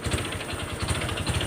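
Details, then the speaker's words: Honda Wave 125 motorcycle, crank rod previously rebuilt once, before teardown: hard regular metallic knocking about ten a second through each throttle blip, plus a high whine; broken connecting rod big end, rod knock. "เนี่ยแค่นี้ก็รู้นะนี่เสียงก้านก้านกลางมันพังครับแล้วก็ทิ้งแหลมวิ้วๆๆนะครับ"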